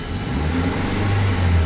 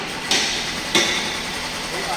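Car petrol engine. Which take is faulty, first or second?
second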